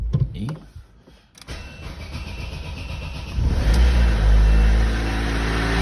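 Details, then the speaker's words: Opel Zafira 1.8 in for repair: the engine cranks and catches, then heavy rhythmic banging about four times per second rides over the idle; the water pump visibly wobbles when levered, and a loose water pump bearing is suspected. "И вопрос к диванным аналитикам. Может ли на самом деле грохотать так сильно помпа воды?"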